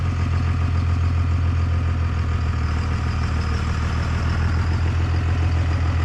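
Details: 1998 Dodge Ram 2nd-gen Cummins diesel, first run after the owner fixed his problems, on temporary power and no coolant: deep, even rumble at a steady idle with oil pressure and charging, no knocks or misses; normal diesel idle.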